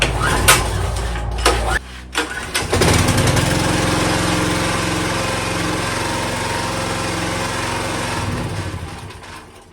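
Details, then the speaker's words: 2024 Chinese stand-behind skid steer, about 60 hours, small engine pull-started with key on and a little choke because the electric start is failing (owner suspects the starter): a few recoil pulls, then it catches and runs steady and even; engine healthy. "so anyway that's like I say You're Not Dead in the Water uh you can just pull start it if uh as long as the the key is on"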